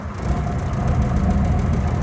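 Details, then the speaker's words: 1949 Armstrong Siddeley Lancaster 16 hp on a test drive after chassis crack and suspension repair: low, uneven engine thrum with irregular stumbles and dropouts under light load. Engine misfire. "yeah she's misfiring big time not big time but it's misfiring"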